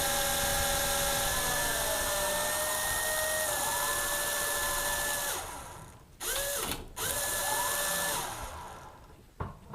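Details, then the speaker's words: Lite-Hawk XL RC helicopter spinning up to full throttle; thin motor whine, one rotor (A) lagging at lower pitch than rotor B and cutting in and out. Slow-spinning rotor; cause not yet found, gearing suspected. "Rotor B is spinning. Rotor A is not spinning as fast as rotor B."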